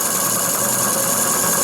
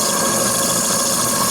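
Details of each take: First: Small RC steam engine (FBI 2) on restored boiler, superheater pipe replaced by straight pipe, endurance test: fast, hissing chuff about four beats a second, lumpy and uneven, won't self-start one direction; valve timing off on that side, runs "like a potato". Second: Small RC steam engine (FBI 2), restored boiler, superheater replaced by straight pipe, just over 2 bar after reversing: steady, even steam hiss, no knocks, stumbles or surging; runs well this direction, though a gland is weeping.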